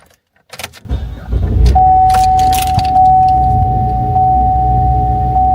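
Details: GMC Acadia start: engine fires and settles into an uneven, shaky low rumble under a steady chime, choking rough start; suspected cause clogged oily air intake, possibly purge valve solenoid, unconfirmed.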